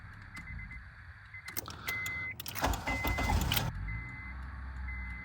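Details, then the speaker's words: 2006 Honda Accord with prior no-crank no-start: key chime beeps, starter cranks strongly about two seconds with the key alone, and the engine catches into a quiet idle; ignition switch or connection suspected. "Yeah, it cranking up just fine. This with the key now."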